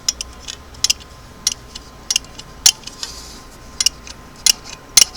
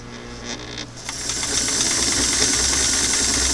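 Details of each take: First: Singer clam-shell sewing machine foot pedal after restoration, pedal released: sharp dry ticks about every half second, 'crickets' from return spring rubbing in worn plastic holes. Foot pedal spring clicking. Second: Singer sewing machine motor with restored clam-shell foot pedal after adjustment: starts softly then climbs through slow, medium, faster to steady even whirring hum, no surging; normal motor run with smooth speed control.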